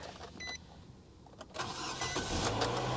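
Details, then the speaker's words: Salvage-auction 2015 Dodge Durango; door chime, brief crank, catches at once and settles into a steady even idle, normal start. "she started right up, didn't she?"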